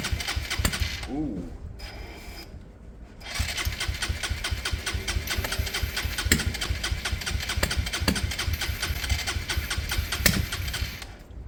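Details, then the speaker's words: Motorcycle after Hanway carb conversion, spark heard: irregular cranking chuffs with uneven kickback, never starts; similar kickback previously came from timing issues, cause now unknown. "weird. That back kick. That's weird. I've had that before, but that was timing out issues. Why is it doing that now?"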